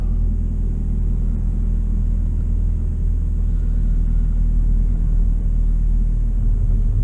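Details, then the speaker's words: Suzuki SX4 that had misfire codes (P0300–P0304), heard after ignition coil replacement: a smooth, even idle with a steady low rumble and no stumbles or skipped beats; normal idle, though the scanner still showed misfire detected afterward. "I don't know if you can hear that difference but it is running really good so far"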